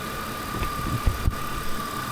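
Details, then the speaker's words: BMW E46 with M52TU engine idling after replacing the DISA valve, whose rubber membrane had likely torn: low, smooth, steady idle with an even pulse and no hunting, hiss or misfire; normal idle after repair. "เดี๋ยวผมจะเทสตอนติดเครื่องให้ดูเนาะว่าลักษณะการทำงานของตัว่าวาวเนี่ยจริงๆเราก็เทสได้นะเทสตอนติดเครื่องนะครับจะเห็นว่าก้านมันดึงเข้าดึงออกยังไง"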